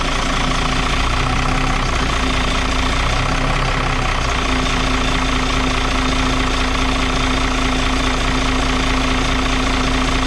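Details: Even, steady diesel clatter at idle on a Dart bus, three to four beats a second with no misfire or stumble, after being run out of fuel and bled at the injector unions; air suspected getting in somewhere.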